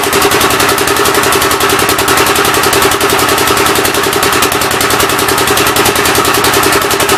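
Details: Rebuilt single-cylinder engine on its first start attempt, with temporary ignition and fuel fed by hand: steady fast chuffing with a breathy puff each beat. The intake valve seems to be leaking but not hanging open; the plan is to pull the head.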